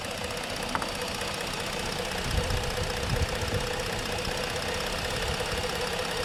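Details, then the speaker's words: 2015 Ford Explorer 3.5 V6, oil about a quart and a half low after topping up: rough, uneven running with irregular low thumps; running a bit better but power balance still shows a misfire on number three. "let's go back into power balance where you're at power balance sounds like it's running a little bit better let's see still got a misfire on number three still grabbing this fire on number three"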